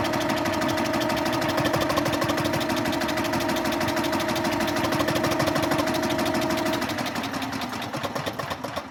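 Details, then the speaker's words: Onan generator that has not run since around 1983–84, cranked electrically after two-stroke oil was put in the cylinder: steady cranking with no firing, then it slows. A hanging valve is likely robbing compression. "no attempt so that means we got a valve hanging up more than likely we're gonna have to tear all that 10 work off again"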